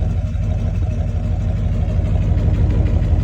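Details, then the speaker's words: Freshly rebuilt 350 V8 in an El Camino during a road drive, about 195 degrees: steady low burble with soft, mellow exhaust tones; engine sounds healthy; normal idle. "So far, it's a big win. Yeah, you can hear it's got some soft exhaust tones."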